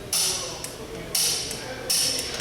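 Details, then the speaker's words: Torque wrench set to 100 ft-lb, Pontiac's spec, tightening the lug nuts in a star pattern: three crisp metallic clicks about a second apart as each nut reaches set torque. "Get on here, torque these down. Listen for the"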